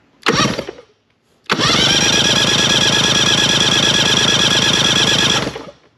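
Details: Mercury 50hp 3-cylinder two-stroke outboard, plugs removed for compression test: steady, even cranking pulses with no weak beats; readings about 115, 110 and 110 psi, healthy power head. Normal cranking with good compression.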